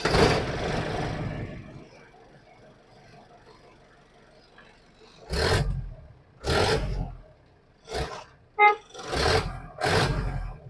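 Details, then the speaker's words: 1995 Mahindra 500 DI Jeep cold-started for the first time after sitting about four years: engine catches and runs briefly, then settles quiet with a few clean revs; no knocks or odd noises, a healthy start with no particular problems. "Gayas വണ്ടി start ചെയ്തിട്ടുണ്ട് പ്രത്യേകിച്ച് പ്രശ്നങ്ങളൊന്നുമില്ല വർക്കിം തന്നെയാണ് ആള്"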